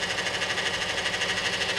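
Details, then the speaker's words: Car with 3.6 engine and 62TE automatic transmission, fluid found low: high steady whine with fast pulsing flutter, growing louder while running; transmission whining internally, cause suspected, not confirmed. "oh y'all hear that it's getting louder that is a 62 te it's getting louder and louder guys i want to check this fluid"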